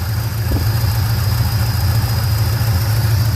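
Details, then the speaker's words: 1967 Chevrolet C10 V8 cold start after fitting a new Wix fuel filter: deep, low rumble settling into a fairly steady idle with no knocks or misses, running better; normal idle. "That already sounds like it's running a little bit better. Yeah, buddy. Okay, I can live with that."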